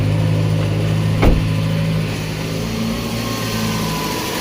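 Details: 2007 Jeep Compass 2.4L after repair of lightning-bolt light, no-acceleration and throttle/MAP/intake runner codes, no codes now: steady low hum with even idle, one brief thump early, no misses or surging; idling smoothly and healthy.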